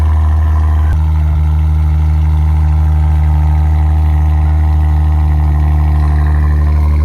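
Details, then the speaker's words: Wrecked Maserati bought from Copart, with a steering problem being repaired, just started cold: deep, steady, loud idle with strong low drone; even running, just a noisy cold start. "All right, just started it up. And this thing is loud on cold start."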